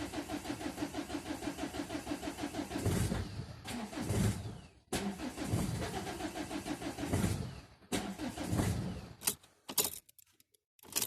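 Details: Ford Mondeo Mk4 1.8 TDCi diesel cold start: long steady cranking, engine catches briefly and dies, then cranking again; hard cold start with prolonged cranking.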